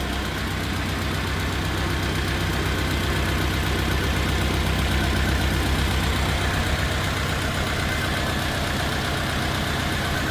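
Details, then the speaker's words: Rebuilt engine of a 1950 Farmall Cub tractor idling steadily with an even, regular chug, then shutting off. It runs well with no smoke apart from burning off oil left in the cylinders, and the front seal no longer leaks. "Well, as you see, she runs pretty good, and except for burning off the oil that's in the cylinders, doesn't smoke at all."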